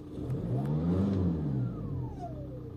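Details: VW 2.0 TDI BKP 140hp diesel after cleaning the stuck, seized turbo geometry: revs rise and drop, leaving a clear ringing whistle that falls in pitch with the revs. Cleaning did not fix it; shaft play suspected and a new turbo needed.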